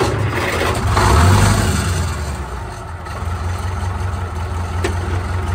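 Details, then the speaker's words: 1972 International Harvester 1468 V8 diesel tractor: starts, flares, then settles to an even, lumpy idle running on four cylinders (switches to eight when revved); healthy, not run since December. "very unique sound incredibly unique sound we there sitting here idling on four cylinders"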